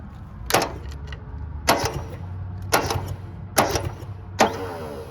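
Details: 1970 Subaru Sambar pickup off the road 40 years, hot-wired to crank with no power to the ignition: five sharp clunks about a second apart with nothing turning; the crusty starter engages then drops out.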